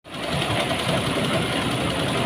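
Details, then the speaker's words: Honda Megapro New mono-shock motorcycle, idling: dry, rapid rough clatter from the top end over the exhaust. "Kali ini kami akan menyajikan kasus di mana suara motor ini terdengar kasar, teman-teman. Lihatlah. Mari kita dengarkan bersama. Suara itu berasal dari atas."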